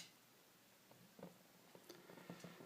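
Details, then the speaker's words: Cadac Safari gas cooker burner being regulated: flame turned down until it starts to sputter with soft irregular pops and a faint low hum, the sign it is too low; then opened 1/8 turn. Gas flame turned down too low. "uh first let's regulate the flame this should be turned down until the flame starts making a noise"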